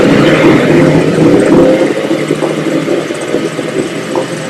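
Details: 1973 Evinrude 9.9 hp outboard after carburetor cleaning: rope pulls spin it with uneven chuffing, about three or four beats a second, never catching; won't start, cause not confirmed.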